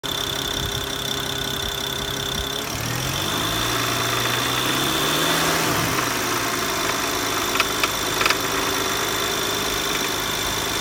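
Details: BMW E92 335i idling with light, uneven rattle, clanking and ticking; cause was a rattling power steering pulley, though no visible pulley movement.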